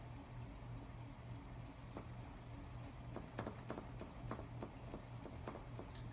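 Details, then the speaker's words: Painted Hampton Bay Littleton 42-inch ceiling fan with a cheap motor that heated up quickly in an earlier test: constant low motor hum with a faint airy whistle or wind sound and no bearing noise; running normally. "bearing sound at the kitty not bearing sound but you think it sounds like a little whistle sound or a wind sound kind of from the motor"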